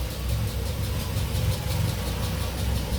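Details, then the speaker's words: Audi 80 B2 after spark plug change, engine cold at idle: low slightly lumpy idle with faint wavering beat, engine shaking a little yet fairly regular; owner wonders if suppressor plays a role, tune possibly not optimal, cause unclear. "Bon là il démarre un peu à froid parce que le temps que j'ai fait la vidéo et tout, voilà, donc il bouge un petit peu."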